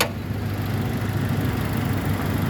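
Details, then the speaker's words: 2004 Toyota Kijang Innova 2.0 L four-cylinder petrol, rear-wheel drive, automatic, 123,000 km: smooth, even low idle with a constant regular beat and no knocks, ticks or misses; engine healthy. "kita bisa pertama dengarkan ritme suaranya pastikan bahwa suaranya halus dan ritmenya konstan beraturan serta getaran mesinnya juga masih halus"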